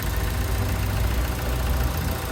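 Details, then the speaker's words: 2017 VW Vento, first start after replacing the timing chain tensioner that was suspected of causing a strange noise: a low, even idle hum with no rattle or chatter. Normal idle; the noise seems to be gone. "Bueno pues al parecer se le quitó que no hace ese ruido ahí está"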